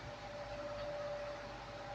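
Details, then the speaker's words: Air Wizard Pro 20-inch high-velocity fan, converted from wall mount, on high: thin steady high-pitched whine over the air rush that never goes away; owner suspects the motor is undersized. "but you can hear that whine it's just doesn't go away it's a bit under sized I think if I'm wrong I'm wrong but I think it's undersized"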